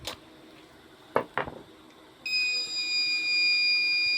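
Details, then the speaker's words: Microtek inverter SMD PCB (B4 model) after relay replacement, battery connected with switch off: silence then a steady continuous high-pitched beep, no relay pulse; faulty program/control IC. "यह देखिए beep चन आ रहा है यह देखिए relay प कोई balls नहीं आ रहा है बीप चान आ रहा है"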